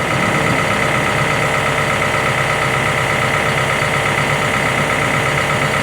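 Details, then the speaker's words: Warm CAT 313 excavator diesel at operating temperature, set to idle at its 1000-hour service before an oil sample is drawn; even, steady drone with no knocks, misses or rattles, normal healthy idle. "it's already up to operating temperature when we brought it up here now I just got to get it set to idle and then I'll show you what we do next"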